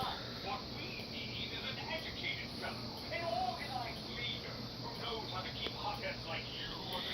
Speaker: if you do listen closely you can hear that high pitch squeal because this is a high kandela strobe kandella is very high it's 115 it's very bright